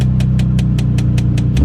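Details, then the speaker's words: LS V8 just started after wiring work: a deep, even idle rumble with light, regular ticking on top. The RPM sounds good and healthy at idle. "RPM sounds good can you hear it go back there"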